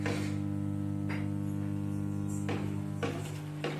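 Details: Serviced amplifier with volume at zero plays a steady low buzzing hum from all speakers, no music or signal present: mains hum problem.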